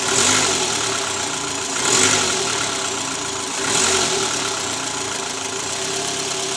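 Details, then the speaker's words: 2012 Toyota Alphard ANH20, 2AZ engine, about 101,000 km, idling just after the worn (loose) balancer shaft was replaced. It now sounds even and smooth, with no rattle under the oil pan. Before, it ran rough with a "krrrr" at cold start, D-R and A/C on. "Oke, teman-teman. Jadi sekarang suara mesinnya lebih halus dibandingkan sebelum kami mengganti balancer."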